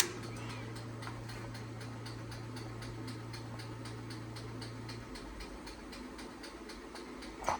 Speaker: So if we throw that back, you can kind of hear there's a clockwork timer and they're on a pendulum that moves back and forth, and you adjust the weight to more time or less time.